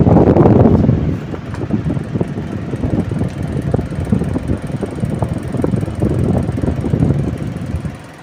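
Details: Table fan with a shaft problem making noise: uneven, loose-sounding rattling knock about three per second over the motor hum, pointing to a worn, wobbling fan shaft.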